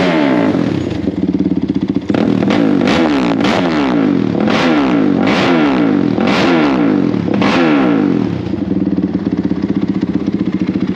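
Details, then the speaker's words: Rebuilt Honda 450R quad warming up after first start, idling about 1900 rpm, water temperature 102 degrees, fan wired always on: crisp single-cylinder idle with about seven sharp blips climbing and dropping quickly. Normal idle and free revving. "all righty we're idling about i don't know 1900 somewhere in there our water temperature is 102 degrees"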